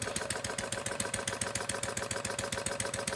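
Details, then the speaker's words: Homemade single-cylinder gas engine from plumbing parts, ~0.875" bore, ~1.5" stroke, 7" flywheel: steady quick firing about 3.5 beats a second with needle valve ~3/4 turn open after misfiring richer; best mixture, normal running. "that's right at about 3/4. That's the settings that it likes to run best at."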